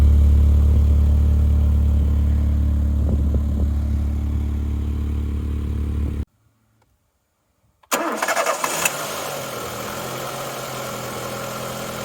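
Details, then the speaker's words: 1993 Ford Mondeo Mk1 saved from salvage auction: started first time, smooth, even low idle with no misses or knocks, heard from the front then at the tailpipe, no smoke; normal idle. "That sounds quite good to me. Started first time. Idling nicely."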